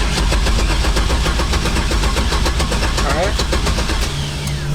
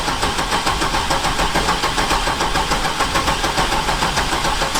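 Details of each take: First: 1972 Datsun 240Z with turbo 6.0 Chevy V8 swap replacing blown 4.8, first start attempt after rebuild: steady even starter cranking that never catches, then stops; crank-no-start, owner then spots a problem and reconnects something. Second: 1972 Datsun 240Z on its first drive after a rebuild, with a turbo 6.0 Chevy LS V8 swapped in for a blown 4.8: loud, busy V8 burble holding a steady beat with no standout knock or misfire. The engine sounds healthy and is running right.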